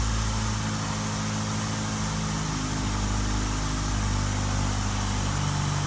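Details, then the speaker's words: Ford Focus at idle before motor mount replacement, heard inside the cabin: rough, low shaking idle with loose buzzing rattles from the interior trim and mirror. Interior rattles from worn motor mounts. "mirror is rattling like crazy too so you get the point all this rattles up here"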